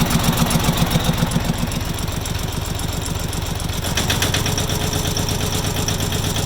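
Sharp, regular knocking at about four per second over a steady diesel idle, loud and evenly paced; cause not determined.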